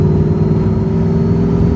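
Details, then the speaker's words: 1996 LT1 Camaro with a brand-new third alternator putting electrical interference on the wiring: steady whine from the speakers over the engine drone, getting louder, tach bouncing, at low rpm. "I put this third alternator on it because the last one stopped charging, and I don't know if you can hear the electrical wheel coming from the speakers."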